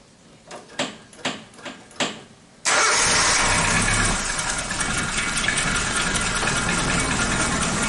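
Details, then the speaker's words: Suzuki Katana with a new breather plate gasket fitted to stop oil seeping from the breather hose, cover bolts torqued to 0.4 kgm. Five slow starter turns, then a clean catch into a smooth, steady idle with no knocks. Breather and oil filler show clean vapour, so there is no compression leak and the rings are good. "Nah, dari ini kita bisa simpulkan awal mesinnya dalam kondisi bagus, tidak ada kebocoran kompresi, ring saver masih bagus."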